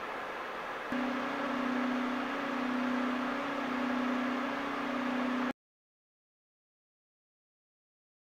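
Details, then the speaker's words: DeepCool AK620 Digital dual-tower CPU cooler in an S620 case with a 12700K, fans at maximum RPM. A faint steady whine holds at one pitch over the airflow rush: slight fan motor inconsistency and whine. "So I did detect a hint of motor inconsistency at the max RPM, just a little bit of whine."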